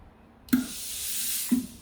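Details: Philips steam iron after replacing the hand trigger switch (fault was no water/steam on pressing): two short clicks each bring a sharp hiss of steam lasting about a second; the iron produces steam on demand.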